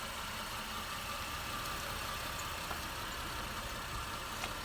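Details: 2008 Honda Pilot after replacing the timing belt, tensioner, both pulleys, water pump and a bad motor mount to cure a bad rattle; smooth, even idle with a quiet steady hum and no rattle or tick: normal idle.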